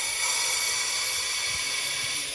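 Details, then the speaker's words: Diesel truck boost leak test with the detector fitted on the turbo inlet, pressurized to about 35 psi, engine off. A steady high hiss of escaping air comes from the wastegate hose. Another leak remains elsewhere. "what we have here is the wastegate hose that is definitely a point of leak is coming out of there"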